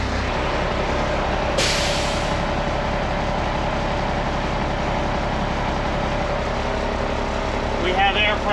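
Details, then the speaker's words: IH 4900 truck after replacing a leaking airbrake parking valve, diesel idling while building air pressure; one short air burst, then no lingering hiss anywhere; no air leaks, brake system holding air. "Okay. I don't hear air coming out of anything."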